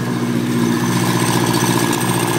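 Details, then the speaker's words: Suzuki GSX1400 with a swapped-in K2 engine under 5,000 miles, first start after the swap, somewhat smoky: even idle with a light metallic rattle apparently from the cylinder head, source unknown. "sounds like this rattling from the head I wonder what that could be"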